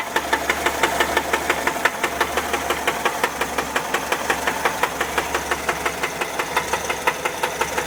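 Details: 1979 Volkswagen Type 4 engine at idle: sharp, evenly spaced metallic knocks, several per second, over a steady idle; engine knock, cause unknown.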